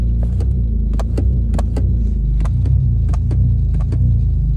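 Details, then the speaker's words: Car stuck in limp mode with codes P0643 and P2A00: steady low idle, needle never climbs with pedal floored; owner plans to clean throttle body. "I can have my foot all the way on the gas look I hit the gas the the needle don't even go nowhere look at that"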